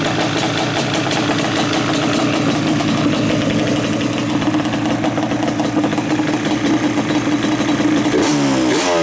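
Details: Yamaha Banshee two-stroke twin, carbs just synchronized with a sync tool, airbox removed and pods fitted: crisp, even idle with a steady buzz, then a clean throttle blip that rises and falls smoothly. Running right.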